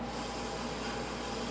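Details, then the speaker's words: LS1 engine in a 1968 Camaro, valve springs being changed during a stage 2 cam install, with shop air fed into the cylinder. A steady hiss and faint whistle is air leaking past valves not fully seated after the engine sat, plus a small air-hose leak. "so you hear the air kind of whistling by you know the valves aren't gonna be perfectly seated because this engines been sitting around a while"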